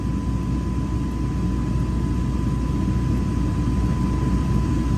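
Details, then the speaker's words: Chevrolet Tahoe/Silverado AC first start after new compressor, rear evaporator, expansion valve, front orifice tube, accumulator, condenser and hoses, oil injected: engine idling evenly, faint steady compressor tone, low side falling, high side rising, cabin cooling; normal AC operation. "Oh, we have pressure. There we go. Low side is going down. High side is going up."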